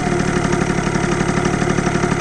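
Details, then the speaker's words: 70cc Yamaha Zuma two-stroke scooter with new CVT parts, just refuelled after nearly running out of gas: even, steady burble with no hunting or stumbling; idles normally again. "gas boys she's idling now wow we were that low on gas we barely made it we barely made it to the gas station"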